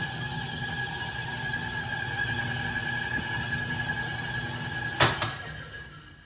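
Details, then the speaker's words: 1967 Logan model 1875 lathe on a Phase-a-matic static single-to-three-phase converter at 240 V, during the forward/reverse switch test after new wiring: a steady even hum with constant tones, no knocks or rubbing, then a switch click and spin-down. Normal motor running. "Well, all right guys, I'm gonna call this wiring job a success. Everything seems to be working. I've got no indication otherwise."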